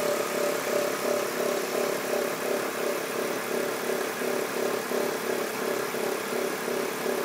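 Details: BMW E46 323Ci at steady idle with a light, regular tick about three times a second; owner asks where the noise comes from and also reports white smoke; source not yet identified.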